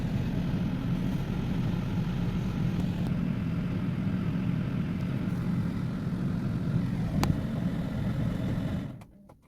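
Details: BMW N52 petrol engine at idle: deep, uneven rumble with an irregular beat consistent with a misfire; cause suspected, not confirmed.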